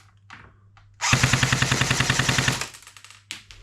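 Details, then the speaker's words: Customer's second-hand airsoft Thompson AEG before service, with stick mag and 0.3 g BBs: even, crisp full-auto burst of about 10 rounds a second for 1.5 seconds with no stumbles; the gearbox cycles cleanly. "Okay, nice and consistent, and currently doing around 10 rounds a second, and that is using this battery here,"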